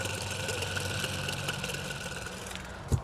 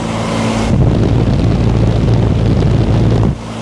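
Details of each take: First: 10-ton (ZF120) 2021 commercial package AC unit, condenser fan motor failed after four years: removed motor hand-spun gives a rough, gritty whir with a thin ringing whine that fades as it slows; worn fan motor bearings, motor replaced. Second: New condenser fan motor on a 2021 10-ton (120,000 BTU) commercial package AC unit, capacitors checked good: steady low roar, no squeal or grinding, amp draw about 2 A, balanced on both legs; normal condenser fan running.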